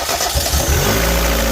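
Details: Mazda Miata MX-5 on bare-minimum spark parts, no ignition switch, cranked by bridging the starter connector to the battery with a screwdriver: a short crank, then the engine catches cleanly and runs steadily. A normal start.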